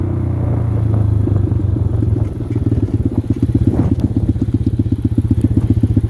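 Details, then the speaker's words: X-Pro dirt bike single-cylinder ridden on muddy trails: uneven thumping about four beats a second, stumbling and surging instead of pulling clean; rough running that the rider blames on the carburetor. "I don't know why my damn carburetor is acting like this."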